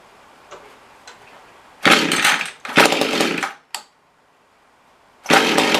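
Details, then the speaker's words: Mantis rototiller small two-stroke, primed with a full fuel line: buzzes up in short bursts and dies as soon as a little throttle is given; fuel starvation from a wrong carburetor gasket. "try that see as soon as you get a gas granted i gave it very little gas just dies so i want to check and see if maybe it's a tuning problem"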